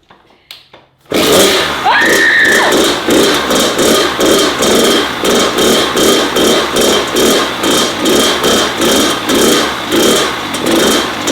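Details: Kawasaki KX100 two-stroke after a fresh top-end rebuild, fixed fuel issues and a faulty exhaust gasket, during break-in: kick start then crisp buzz revving in steady blips, clean and even, no knocking; normal running.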